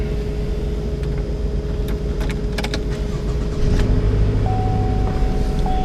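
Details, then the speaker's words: 2014 Chevrolet Malibu with check engine light on, just started: idles with uneven low shake, heavy vibration felt in seat and steering wheel, steady whine above; rough idle, suspected misfire, cause unconfirmed. "And almost immediately, as soon as I start it up, I can feel quite a bit of vibration. I'm sure you can see the camera shaking."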